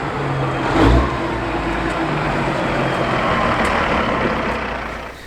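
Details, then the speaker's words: Kenworth W900 with Cat 3406E diesel, first start after new turbo install and new oil temperature sender, rolling slowly around the shop: steady heavy drone with turbo hiss, even and strong, no knocks or misses; healthy, 30 psi boost unloaded. "now it sounds like it's running nice and strong so there"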